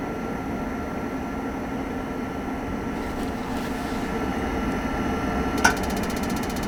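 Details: Furnace in the living quarters of a Lakota horse trailer, first firing after winter: a steady, even blower-and-burner roar with no surging or rattles, running normally.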